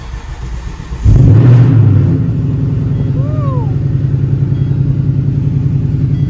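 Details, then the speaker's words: 2019 Mustang GT rebuilt after a wreck, before the intake and exhaust mods; cold start catches with a sharp flare of revs, then drops into a deep, steady, even idle burble, healthy. "Dude, that sound just never gets old. This thing sounds insane."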